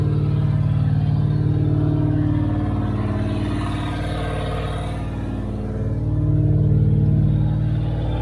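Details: 1978 Dodge Aspen R/T 360 four-barrel V8 during restoration, at start-up: very loud raw deep burble swelling with throttle blips, no muffling; exhaust cut off at the manifold, open straight exhaust.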